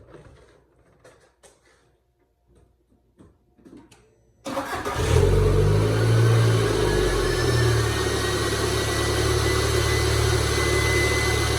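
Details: 2002 VW Jetta 2.0L, started after an oil change: cranks and catches, then a loud high whine over fast idle from the secondary air pump, which shuts off shortly; normal, no leaks.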